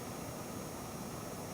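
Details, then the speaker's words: PC with Cooler Master V1100 SFX ATX 3.0 power supply and Ryzen 7600X gaming at about 420 W load: steady PSU fan rush near minimum speed with a thin high-pitched coil whine from the graphics card. "And you can see, other than the coil line, which that's coming from the graphics"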